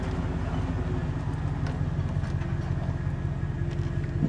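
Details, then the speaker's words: Chevrolet Silverado 2500 with an 8.1L Vortec and Allison transmission, in drive towing a boat after replacing the cylinder 6 coil: a low, uneven stumbling drone, still misfiring at low rpm under load. All coils, plugs and wires are replaced next. Ignition misfire under load. "it's continuing to misfire so seems to come out of it really fast but it does have that low misfire at uh or that misfire at low rpms"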